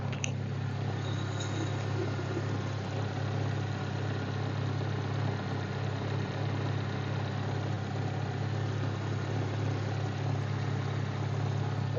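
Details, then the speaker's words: Toyota Corolla AE111 4A-FE idling after a top overhaul: head rebuild, valve setting, timing belt and tensioner, plugs and tune-up. A low, steady, even hum with no top-end ticking. Now quiet where it was noisy before; healthy idle. "Tahimik na siya. Dito la dati na parang ano eh. Maingay."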